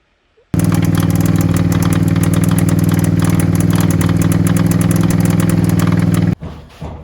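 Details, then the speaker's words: First start of a non-running, stolen-recovered 1st-gen carb Suzuki SV650 after charging its flat battery: fast, uneven beat with a hard knocky edge. The seller said it idled on one cylinder, possibly carb or coil; the owner thinks it now runs on both. "so she's a little bit knocky at the moment um but she's running around two cylinders i think but she still starts she still runs at least"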